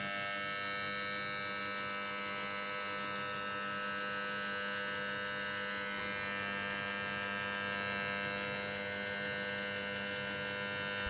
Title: Fireball not starting properly (buzzing sound)